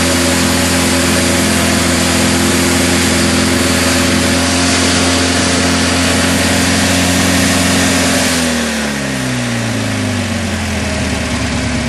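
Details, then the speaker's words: Craftsman GT6000 mower with Kohler V-twin, after new fuel pump and rebuilt carburetor, governor not connected: runs flat-out at a steady high unregulated pitch, then revs sag and fall away; over-revving with no governor control. "I probably should look into hooking up the governor before I blow a head gasket."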